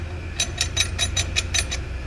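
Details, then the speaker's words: 2011 Chevrolet S10 Flex, rear: sharp metallic rattles about five a second over a low hum as the loose parking-brake strut clatters inside the rear drum, worst on bumps and cobblestones and present even when braking; the shoes are not worn. "Você andando ali no asfalto ali, fica infernal o barulho. Lombada, rua de paralelepípedo, tudo faz esse barulho, ó. Ela fica assim, solta aqui dentro."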